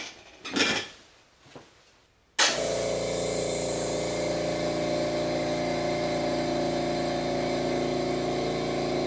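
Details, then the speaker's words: California Air Tools "ultra quiet" air compressor running with its intake silencer missing, microphone about 10-12 feet away: after a few clicks it starts into a steady, loud, hollow roar with a fast pulse, like standing next to a train. "it's not terribly loud from where i'm sitting but the microphone really seems to pick it up and it sounds like i'm staying next to a train"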